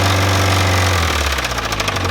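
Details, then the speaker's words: Geo Metro, described as junk, small petrol engine idling with a fast, loose rattle chattering over its low hum, plus a known exhaust leak; abnormal engine rattle. "don't think she's supposed to Rattle like that"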